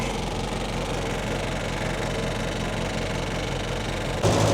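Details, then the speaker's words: MG Midget classic car just started on choke after winter hibernation: even idle with a light, fast ticking rattle. The wire to the electric fan's thermostat was touching the mechanical engine fan; pulling it away cured it. "So, you may have heard a rattle there. That was this wire here which is for the thermostat for the electric fan was touching the normal fan. Pulled it away."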